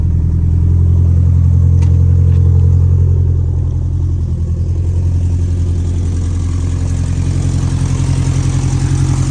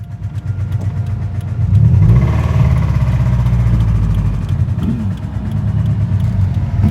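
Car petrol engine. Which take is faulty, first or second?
second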